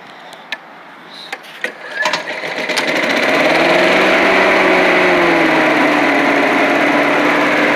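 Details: Old Rover Turbothrust mower made in Brisbane, Australia, started at full throttle on flat ground: a few clicks, then it catches and climbs to a smooth, steady high buzz like a leaf blower; runs well, normal running.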